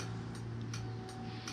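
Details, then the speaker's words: MZ TS125 6V with LED indicator conversion, ignition on and engine off: low-current LED flasher ticks about three times a second with indicators off, triggered by current leaking through the shared indicator/charge light; it stops once the engine runs. "as I say when you turn the bike on starts doing that but in a way that's quite good it's an audible sound to tell you that the uh ignition's on so you don't walk off and leave it and burn the coil out"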